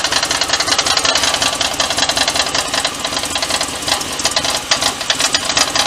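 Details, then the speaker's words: Fox body with 5.3 LS swap: harsh buzzy metallic rattle coming and going over the running engine, fairly regular, like driveline vibration; owner suspects exhaust or transmission, not the motor; cause unconfirmed, sound starting to go away. "don't know what that sound is. It sounds like exhaust. It's in the training. Sounds like it's in the transmission. It ain't in the motor, that's for sure."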